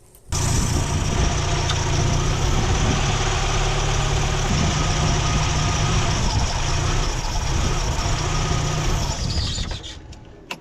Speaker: que en este vehículo al desconectar el Maf falla de esta manera se siente la inestabilidad y cuando aceleras se apaga